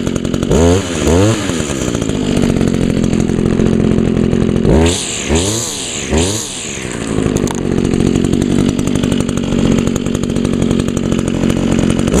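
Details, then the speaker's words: 2002 Echo SRM 2400SB slip-boom trimmer, 13 years old; cylinder was fogged, muffler clean; crisp buzz rising cleanly through three quick blips and settling to a steady idle. Still running good, normal running. "oh yeah still running good even though it's 13 years old definitely a good trimmer"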